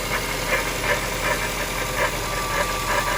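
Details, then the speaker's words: 1998 Jaguar XK8 at idle: a low grinding rumble, like a metal pipe dragged on the floor, with a faint pulse about three times a second that fades with revs. Not from the top end or chain; suspects pulley, alternator or power steering pump. "it's a low grinding rumbling it almost sounds like a a vibration of some like it sounds like a metal pipe being dragged on the floor and you can only hear it when it's idling i mean it goes away with engine speed"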